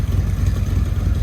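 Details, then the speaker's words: 2018 Harley-Davidson Road Glide Special (Copart salvage), just started after connecting battery: deep, even loping V-twin idle, steady with no ticking or knock; normal idle, sounding good. "sounding good looking good"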